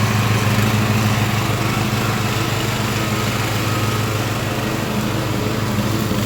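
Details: Craftsman LT1000 riding mower after Briggs & Stratton engine swap, warmed up, test mowing tall grass with unsharpened used blades: steady, even buzz with no surging or misfires; pulls the load fine.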